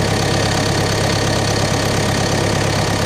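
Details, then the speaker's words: CAT 420F backhoe diesel engine just started after service: steady, even low idle rumble with no belt squeal or knocking; normal. "No squeaking. No engine belt squeaking. Everything looks pretty solid."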